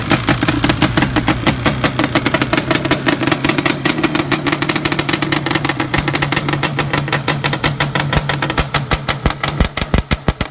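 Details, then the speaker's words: Yamaha Banshee two-stroke with four years on the engine, throttle blipped before ignition troubleshooting: a crisp, even crackle that sharpens with revs, running strong and healthy. "this engine here has got four four years on it and she still sounds great"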